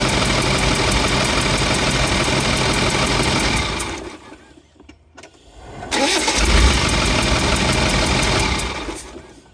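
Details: Land Rover 300Tdi diesel running: sharp, regular puffing tick about four per second that follows the revs; owner suspects a compression leak rather than an exhaust leak, unconfirmed.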